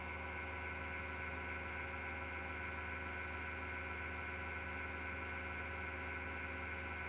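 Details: MSGW Plutos desktop PC power supply fan: steady whirring hum with a rough, gritty edge and faint vibration, no speed change; owner suspects a bad bearing; noise recurred after two months and disappears after the PC is off overnight.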